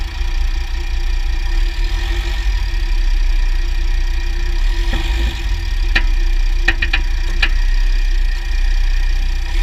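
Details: 2009 Jeep Grand Cherokee WK, 3.0 CRD diesel, Quadra-Trac II, GoPro on skid plate: steady diesel drone with a cluster of sharp clicks; clunk when loading/unloading drivetrain; driveshafts test ok, front diff bushes and transfer case oil already changed; cause unknown.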